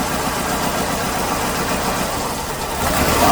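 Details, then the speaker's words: 2008 Hyundai Accent 2.0 at idle: lumpy, stumbling beat from a misfire. Mode 6 pointed to cylinder 2, but unplugging coils traced it to a failed coil on cylinder 3; the plugs were worn. "watch what happens when i unplug number three it's actually number three that has the miss not number two"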